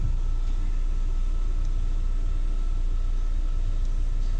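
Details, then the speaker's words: 2021/22 Fiat Strada with electric power steering that clicked when the wheel was turned either way, after the steering shaft was lubricated, refitted in the same spline position and tightened (11 mm key): the column is now quiet with the engine idling, with only a faint distant click remaining. "eu acabei de apertar aqui e observem que o barulho que fazia antes já não faz mais ó"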